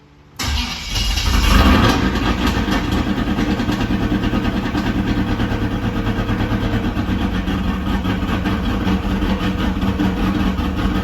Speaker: It's not idling good because it need a tune in it, but it run, baby. It run.